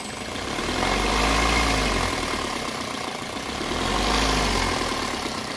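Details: Toyota Corolla VVT-i four-cylinder at idle: a light, fast rattle rides over the engine note, which the mechanic checks as noise from the timing chain.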